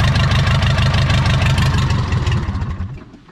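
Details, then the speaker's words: 1980s Komatsu D31S track loader, Cummins 4D105-3 diesel, sat 5+ years with rusted cylinders, injectors bled: starts and settles into an even steady knock about three beats a second, firing on all four, then winds down. "But it sounds like it's hitting on all four."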